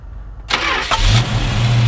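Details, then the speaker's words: 1969 Dodge Dart GT with new battery and dual exhaust: brief crank, catches promptly and settles into a smooth, steady deep idle; normal start. "it actually starts really nice even when it's full and you know very very smooth good and Rev sounds good dual exhaust sounds good"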